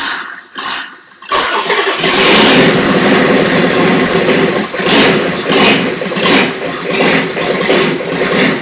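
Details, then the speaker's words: Freshly rebuilt Volvo Penta AQAD40B marine diesel with new glow plugs, first start in the shop: a few cranking beats, then it catches and settles into a busy, steady clatter. Normal running. "finally here we're in the shop getting ready to fire it up for the first time so here we go"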